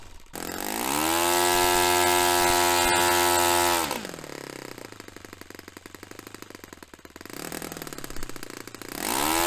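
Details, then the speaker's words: Restored Saito FA-45 Special glow four-stroke on test stand, 10% nitro, warmed up; low-speed needle richened half a turn, yet on fuel-hose pinch test the idle drops ragged and sputtering, dying; low-end mixture still off, cause unconfirmed. "So I've richened that up quite a way now, and I'm quite surprised that that's still dying."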